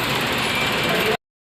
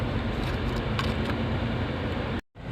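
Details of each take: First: Maruti Suzuki new Wagon R petrol engine, earlier showing check light with P0300/P0303 misfire codes, after repair: idles evenly for about a second with no stumble or missed beats; normal idle. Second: Maruti Suzuki Wagon R petrol engine idling with check light flashing, codes P0300 and P0303: uneven stumbling rumble with occasional irregular thumps from cylinder 3 misfire.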